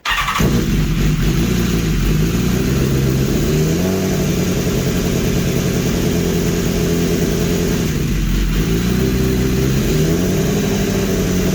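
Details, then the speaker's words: 2015 BMW S1000RR with the engine from a crashed bike swapped in, on a dyno-developed tune: steady, even four-cylinder idle without hunting or stumbling; it holds idle easily, whereas the previous engine struggled to hold idle. "it actually this the tune is so good in here from Two Wheel D works you see how easy it is to hold an idle the other one was super tough to hold an idle"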